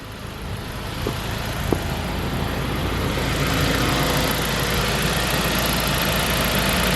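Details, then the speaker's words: 2003 Saab 9-5 Linear turbo petrol after PCV repair for oil consumption: steady even smooth idle, low hum, no misses or knocks; runs very nicely (owner notes it still needs new spark plugs). "Well, the only thing left now is take this car out on a test drive and see how it runs. It actually runs very nicely."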